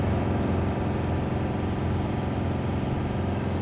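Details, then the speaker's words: Tata BS6 phase 2 Cummins diesel, held at full throttle, high revs (about 2500–2600 RPM), rail pressure 1300 and correct, no fault codes; dense steady roar without misses or surging; normal revving. "हम इस समय car की racing कर रहे हैं। तो यहाँ आप देख सकते हैं कि दबाव 1300 तक जा रहा है।"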